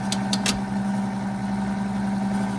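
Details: Rebuilt 90-year-old Gilbarco Model 80 (GMB 80) gas pump running on diesel: steady, even motor hum with a constant mid tone and a few light clicks at the start; the pump runs smoothly.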